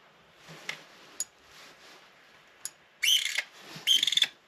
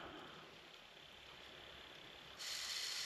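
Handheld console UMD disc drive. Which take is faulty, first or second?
first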